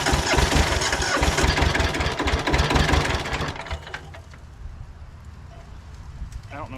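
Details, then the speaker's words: Hinomoto (Southern) diesel tractor, unstarted for 2–3 years, catching on a retry with a weak battery and thin glow-plug leads: lumpy, uneven chug of about four beats a second that soon fades. Owner suspects it is running on one cylinder. "I think we're only on one cylinder."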